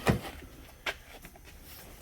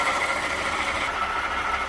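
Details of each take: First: 2018 Jeep Grand Cherokee 3.6 after replacing faulty water pump (whirring underhood complaint, stop-leak found in cooling system); few clicks, clean crank and catch into smooth steady idle, no whirr from front of engine; normal. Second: 2018 Jeep Grand Cherokee 3.6, underhood whirring complaint, idling, heard through a screwdriver held on top of the water pump: loud steady whirr with a high whistle; faulty water pump, later replaced.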